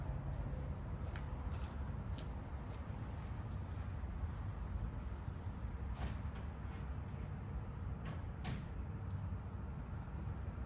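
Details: Stanley Magic Force automatic swing door opener: steady low rumble and hum with light clicks as the motor vibrates on worn rubber motor mounts, fixed by replacing the mounts.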